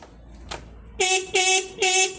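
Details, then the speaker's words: Ducati 796 horn screwed back in tight on its bracket: three short two-tone blasts, thin and muffled; horn is dull when tightened and loud when loosened, cause unclear to owner. "The horn is dull. Now when I unscrew it, now it's loose. Loud."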